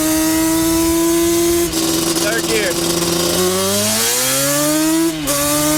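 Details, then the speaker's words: Custom-built Banshee two-stroke after the build, revving through first, second and third gears; sharp wail climbs cleanly, revs drop and rebuild each shift with no lag, sputter or stumble, running healthy. "Every single gear, no lag, no sputter. She's ready to go. She sounds good, she rides good."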